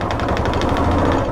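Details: Royal Enfield Classic single: fast, sharp puffing chuff, roughly ten a second, over the engine beat when taking pickup, absent at other times; exhaust gas escaping past a blown head gasket.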